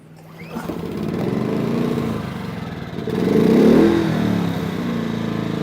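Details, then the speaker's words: Briggs and Stratton P2400 generator, just started after adding fuel, no load, on an unstable table: fires up and settles into a steady even hum with brief rev rise, very quiet, smooth; normal. "Okay, I will say this is, it's very quiet. It's running very smoothly."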